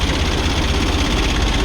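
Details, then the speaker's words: Kia Bongo diesel with electronic pump that would not start, running after a switch was removed: steady low idle with an even, regular beat and no stray knocks; now it will not shut off; normal diesel idle. "So okay na guys umandar yung unit natin."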